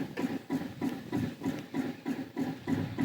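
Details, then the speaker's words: Smoke-N-Seer pellet grill on its stock controller, temperature climbing fast with pellets dumping: even pulsing whoosh about three times a second; bizarre rhythmic noise, source unknown, probably not the auger. "i have no idea what it's doing oh i can't wait to well i don't know i'll see one it's it i don't think it's an auger i don't that is super bizarre yeah that sounds like something out of a sci-fi movie"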